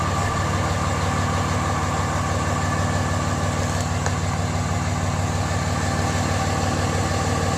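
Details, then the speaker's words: Pickup truck diesel started cold, run only about 20 miles that day: steady, even idle clatter with no misses, knocks or pitch changes. Normal cold idle. "Anyway, I'll start it up for you. It's cold. It hasn't been run but about 20 miles today."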